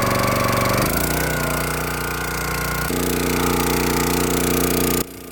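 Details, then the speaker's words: Log splitter that had sat for years, started after maintenance and revved up while the hydraulic lever and ram are tested. Steady single-cylinder beat that labors slightly as the ram pushes, then holds even. Engine and hydraulics work normally. "Um we're going to just run the levers, run the actuator, and we're going to make sure that everything is working properly. >> Oh yeah. All the way seems to be working."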